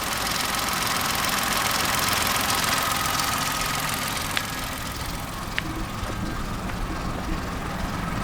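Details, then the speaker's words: Kia Picanto with 13,000 miles idling with aircon, idler and water pump eliminated: light rattling tick about 3.5 per second over a hiss; owner suspects a bearing or timing-related issue, crank pulley also considered, unconfirmed. "it's just the engine on its own it's still in there i reckon personally it's something to do with the timing maybe this sounds like a bearing to me it doesn't sound like a chain right or nothing it sounds like a bearing"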